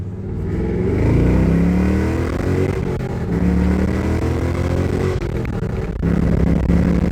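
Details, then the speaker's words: 2006 Pontiac GTO with newly installed Pacesetter headers and mid pipes, revved repeatedly: V8 revs up and settles with occasional sharp exhaust pops. Owner says it is running rich and needs a tune to lean it out. "she's running pretty rich you hear that backfiring it's u"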